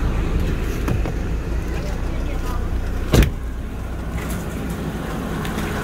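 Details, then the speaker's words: Opel Astra G at idle under load with A/C and fan on max, in engine bay: irregular metallic tapping/rattle as the weak, worn multi-V belt tensioner vibrates and jumps. "chúng tôi có thể nghe thấy tiếng rung, tiếng nhảy của bộ căng đai nhiều gân, tiếng gõ im lặng."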